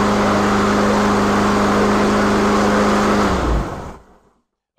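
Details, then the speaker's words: Troy-Bilt TB360 push mower, discarded through lack of maintenance, after repair with fresh gas and oil: small single runs smooth and even with a steady low hum, then winds down cleanly at shutoff; running properly. "right guys there you have it I fixed it really really economically and by the way I obviously put gas in it and I did put oil in it in case you're wondering so it's not going to burn itself up it is running properly"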